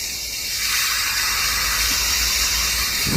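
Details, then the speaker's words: 4-inch angle grinder after housing bearing replacement: it spins up quickly to a steady, even high whir with no rumble, rattle or grinding; now running perfectly. "you can see that this angle Our girder has started running perfectly, just like this we can change the hose bearing."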